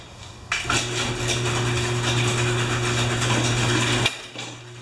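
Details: Mower engine running steadily with faint, regular light knocks over the drone; at first it sounded like a loose blade, and a blown rod is suspected, not confirmed.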